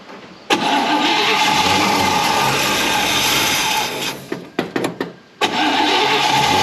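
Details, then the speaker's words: 1955 Chevy wagon with Griffin radiator and electric dual fans, first start of the day: fires right up and runs evenly, brief dip mid-way before picking back up; a normal cold start. "Fire's right up now sounds good got a griffin Radiator in it with electric dual fans so those turn out like they're supposed to so that's all good"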